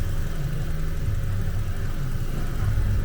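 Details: Vauxhall with P0171 lean code and stability control lamp, after repair and a rev: smooth, even low rumble with no knocks, misses or squeals; fuel trims now within range, engine management light off.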